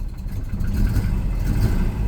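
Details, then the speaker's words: Volvo 240 with K-Jetronic fuel injection, barn find, cold start injector just plugged back in: engine catches and runs unevenly at low revs, note sagging toward a stall unless revs are held; fuel delivery trouble, exact cause unclear. "yes oh it's dying though I might hold the Reds up for it"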